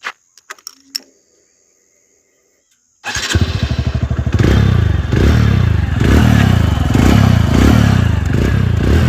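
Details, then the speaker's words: 2021 TVS Radeon BS6 single-cylinder motorcycle: after a few cranks catches and idles unevenly, metallic clatter riding over each thump; engine clatter, source unclear. "कि आप सभी को ना आवाज ही पता चल रहा होगा कि बाइक के इंजन से खन खन खन खन का आवाज है आ रहा है"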